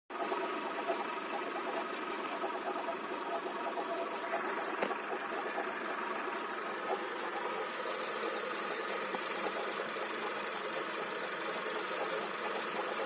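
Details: Strange knock at idle: dry, fast rattling knock over a steady idle from the accessory drive, traced to worn alternator bearings.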